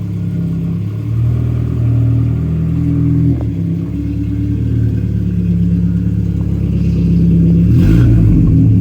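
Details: 1992 Saab 900 naturally aspirated 2.1 with newly welded replacement exhaust: deep, even exhaust note rising and falling smoothly with revs, no rattles or blowing leaks; normal, sealed exhaust.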